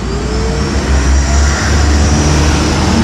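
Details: Electric wood planer that had been throwing sparks at the carbon brushes, tested after repair. The motor runs steadily at constant speed with a faint brush hiss and no crackle or stutter; there is only slight brush friction and no sparking.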